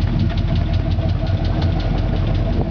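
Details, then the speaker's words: 1977 Oldsmobile Cutlass Supreme Brougham, original 350 V8, new exhaust with glasspack muffler, left exhaust manifold seal leaking, slightly shaky: a deep, loping, even rumble at idle; normal glasspack exhaust sound. "you can hear that nice deep Rundle glass pack"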